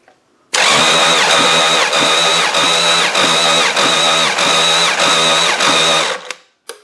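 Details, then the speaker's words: Demolition derby engine during compression test, spark plugs out, cranked on battery: starter turns in steady pulses under two a second without firing; one cylinder reading 155 versus over 180 expected, owner suspects engine is done. "Does not sound very happy. Well, it did a little better."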